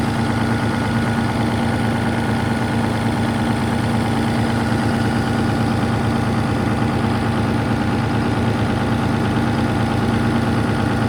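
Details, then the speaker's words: Worn Caterpillar diesel (3408/3412) that sat for years, stripped of excess wiring and warming up: deep, steady, even idle with a smooth low rumble and no misses or knocks. Normal idle. "Well, it runs pretty good for a wore out piece of"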